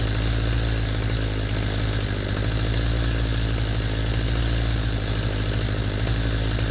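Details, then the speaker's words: Stihl MS250 chainsaw during high-speed carburetor adjustment: a high, steady scream with a slightly ragged edge as revs peak and begin to stutter. Lean mixture, to be backed off half to three-quarters of a turn. "so I just shut it off real quick you could hear how that saw reached a point where it was revving at a peak and then it started to fall off the edge and in stutter"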